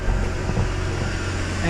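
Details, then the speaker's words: 2009 Mercedes-Benz C350 idling after fixing coolant temperature sensor issue without replacing the part; quiet steady hum, cooling fan now off instead of full blast constantly; normal idle. "let me get my flashlight but you can't hear it before it sounded like it was insanely loud and I'll show you you can see that fan is not on before it was on full-blast at all times"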